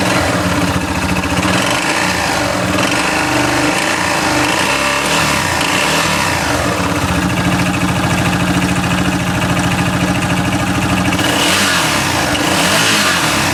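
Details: 2008 Yamaha Rhino: with the clutch off the crank, a strange loose maraca-like rattling knock at rough idle that stays through the revs; internal knock, source not yet pinned down.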